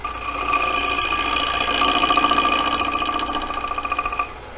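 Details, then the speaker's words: Lathe turning a square bowl, light cut across the blank: steady motor hum under fast even ticking as the spinning corners hit the tool in turn, cutting wood then air, normal intermittent cut on square blank corners. "hear the corners fly by because they make that little dot noise."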